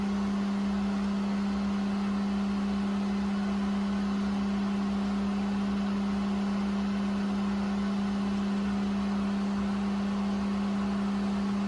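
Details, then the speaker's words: Well pump motor running smoothly with a steady, even low hum and no surging or rattles, just after a new 40/60 psi pressure switch was installed; pressure rising toward about 60 psi, when the switch contacts should open. Normal running. "I hear it, yep. So the pressure gauge is rising. So it should keep rising until it hits around 60, and then these contactors on the back will open up."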